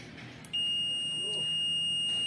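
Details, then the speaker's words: Digital multimeter: a steady high continuity beep starts the moment the probes touch and never stops. "यानी आप touch करते ही आप बप continue चालू रहेगी और वापस य बप बंद नहीं हो रही है"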